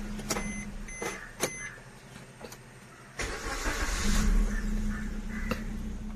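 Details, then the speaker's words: Maruti Swift Dzire petrol (2014–2017) that needed long cranking on cold morning starts. After all four injectors were replaced, it starts on the first crank after about three hours sitting and settles into an even idle. "ഇപ് ഒറ്റ അടിയിൽ start ആകുന്നുണ്ട് complaint മാറിയത്"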